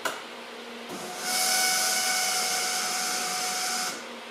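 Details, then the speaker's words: 1983 VW Rabbit GTI electric fuel pump switched on with the camera outside the car: a steady, harsh high whine with a hissy edge for about three seconds. The pump is noisy and the owner expects to replace it. "so yeah listen to my fuel pump here I'll just turn it on you can put the camera outside so you can hear it"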